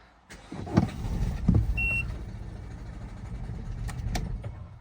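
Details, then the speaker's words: Peugeot/Citroen/Ford with injector short circuit codes (P0267/P0269/P0270/P0271), idling in neutral with sensors unplugged: a rough, lumpy, stumbling misfire that wants to stall, with no power. "You can hear how rough it is. It's not the best condition. It just feels as though it wants to stall. No power."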